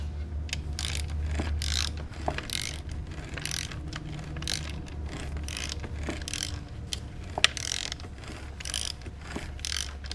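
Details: Yamaha R6: irregular metallic clatter and ratchety knocking over a low engine hum. The noise stops when the clutch basket is removed, pointing to a worn clutch basket.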